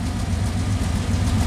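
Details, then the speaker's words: Dodge Ramcharger V8 with a new intake manifold, after a Dana 44 rebuild with 4.11 gears: low, steady burble idling comfortably at about 700–900 rpm, no misses or knocks; runs good, normal idle. "and it runs good idles comfortably at 700 rpm roughly"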